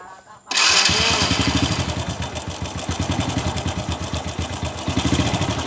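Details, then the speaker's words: Honda Supra Fit New motorcycle after starting at idle: harsh metallic rattle in quick uneven bursts from the engine's left side; suspected loose cam chain, to be replaced. "Bunyinya berisik sekali, teman-teman. Berderak keras. Jadi, jika bunyinya seperti ini, biasanya rantai kam (cam chain) longgar."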